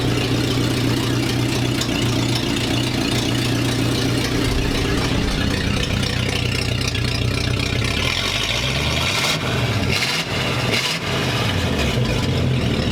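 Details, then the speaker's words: 1942/1947 Ford panel truck before exhaust repair, short pipe ending by passenger door, fumes stink; loud throaty rumbling idle with throttle blips; excessively loud exhaust. "sounds really good but it stinks like crazy and it's borderline obnoxious when you're driving it like down the road just because it's like this long of a pipe coming out of it"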